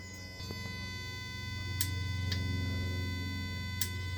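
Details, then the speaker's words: Jaguar AJ30 V6 VVT solenoid valve driven on the bench by an Arduino controller, the other valve unplugged: crisp, solid clicks over a steady low electrical hum; sounds healthy and identical to the other valve, ruling out wiring and software. "So, now I've only got this uh working. And as you can hear, which you can't see anything, can hear it's clicking away nicely."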